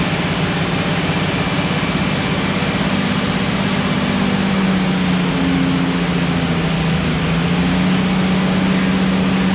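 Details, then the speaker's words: Restored Jurassic Jeep #73 engine during 20–30 minute break-in on first run after reassembly and distributor turned 180°; even drone rising and falling smoothly as rpm raised and lowered, no knocks or misses: normal. "so at this point we just continue to go through the braking procedure raise the rpm lower it uh i think it was about 20 to 30 minutes until we were satisfied and ultimately shut it down"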